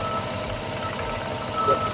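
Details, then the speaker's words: 2006 Mercedes CLS55 (113k engine) after a Weistec 2.9L supercharger swap, idling: rhythmic puffing tick in time with the firing, sounding like an exhaust leak; the aftermarket VRP block-off plate isn't sealing and must be modified. "that sounds like exhaust yeah it sounds like an exhaust Le but is it the black off now let me get the ears"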